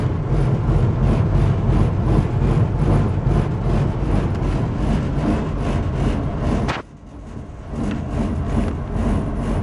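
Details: Furnace running with a heavy, low, even roar and faint rapid pulsing, dipping once then resuming; far louder than normal, loud roaring noise.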